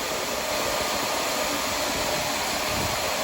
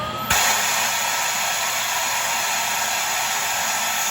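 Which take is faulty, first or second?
second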